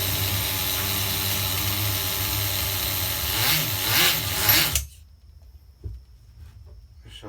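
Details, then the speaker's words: HPI RS4 Nitro F150 pickup RC truck glow engine on 16% nitro, nearly new glow plug, little idle gap, retuning after running on 30%: wavers and surges unevenly then dies at idle; owner thinks it is loading up rich, unconfirmed. "definitely getting rich and shutting off so we're going to try to tune this in guys on the 16 16."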